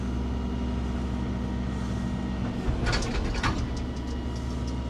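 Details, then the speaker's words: Volvo excavator working after greasing a previously squeaking pin and fitting a grease nipple: diesel drones evenly with brief clatter from movement and no pivot squeal; squeak fixed, normal operation. "So, that was definitely the uh the squeaking pin. Got a grease nipple in there now, so we can keep on top of that."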